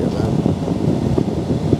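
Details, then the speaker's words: Toyota Vios Gen 3 AC blower run up through speeds 2, 3 to maximum during pre-delivery check after upgrade work, engine running, AC cold; strong steady rush of air with low hum, no rattle or squeal: normal blower operation at maximum speed. "Kita coba blowernya di 2. Kita coba gede, kita coba di 3. Kita coba pol."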